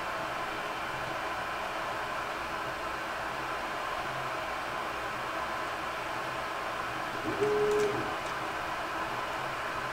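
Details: Creality Ender 3 printing after a mainboard swap to BTT SKR Mini E3 v1.2 and Noctua 40 mm hotend and mainboard fans, stock power-supply fan still fitted: only soft fan hiss and a brief quiet stepper tone on a rapid move, normal quiet operation.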